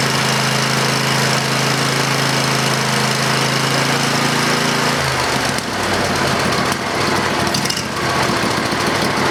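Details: Briggs & Stratton 20HP V-Twin Model 40 after carburetor cleaning and reassembly with fuel solenoid hooked up: steady starter hum for a few seconds while the bowl fills, then catches and runs with an even, busy clatter; healthy.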